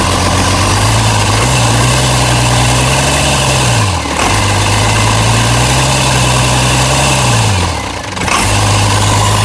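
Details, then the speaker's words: International DT360 diesel, planned 1973 Ford F250 swap, after hand-priming air from fuel system: deep idle, steady apart from two short dips that recover at once, no knocking; running fine. "That's great. She's a runner."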